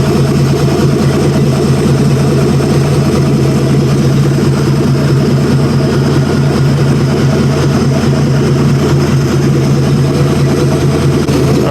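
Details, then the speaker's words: 1956 Dodge 230 flathead six on an engine stand, warmed up at about 550 rpm: steady, even low drone with no misses, knocks or ticks; 50 psi hot oil pressure, 21-22 inHg vacuum, head 197-208°F; healthy. "Running for a little bit longer now. Everything appears good."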